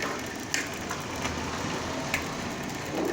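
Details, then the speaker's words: Bicycle wheel spun hard on a stand, rough gritty crunching with sharp clicks; broken wheel hub bearing grinding, customer complained of strange noise while riding. "esse barulho e o que é esse barulho e rolamento quebrado"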